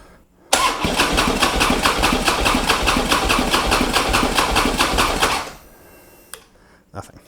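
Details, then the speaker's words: Harley Road King, roughly 2007–2009, unstarted for over four years, with a new battery. About five seconds of even, free cranking that never fires. He suspects gas left in the tank for four years has caused a fuel-delivery problem: crank, no start. "you know it it turns over just fine but it's like it doesn't have spark or actually it's not getting gas my thoughts are that gas sat in that tank for four years and there is something wrong with the fuel delivery system"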